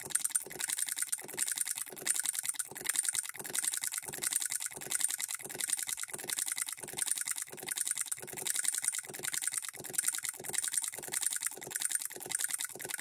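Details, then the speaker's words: Hand-built Coilmotorworks solenoid hit-and-miss model engine, supply voltage lowered: quiet light ticking in bunches of three or four quick hits before each pause; needing several firings to throw the governor balls out and lock out. "let's drop our voltage down and listen to How it changes e here how it's double stroking sometimes has to fire twice to throw those balls"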